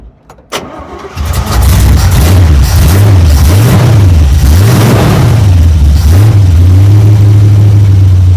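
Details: 1972 Chevrolet C10 V8 started cold with battery charger in about 40° drizzle, briefly flooded, then warm idle with good oil pressure and several quick crisp blips rising and falling: normal revving.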